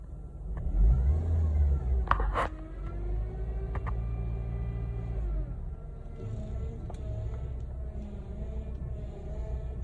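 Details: Honda Civic power steering: severe grinding, rough groaning tone rising and falling over low engine rumble as steering is worked.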